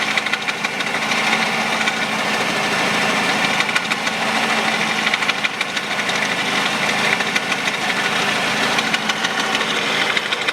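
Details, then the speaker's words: Peugeot 408 2012, 1.6 petrol automatic, 87,000 km, at idle: fast uneven light knocking about three beats a second; owner suspects stretched drive belt tensioner can't keep tight, crank jerking; also misfires, plugs to be replaced. "натяжитель откручиваю и думаю вот этот стук у меня нет растянутого деревня быстрее всего именно из-за него потому что натяжитель не справляется"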